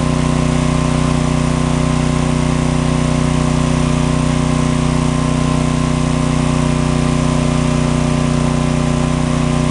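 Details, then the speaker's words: John Deere/Briggs & Stratton 4000 W generator after magneto coil repair: loud, steady, even drone with no misses or surges; engine runs normally, though outlets give no power, apparently from a failed GFCI receptacle. "noisy but we got her working"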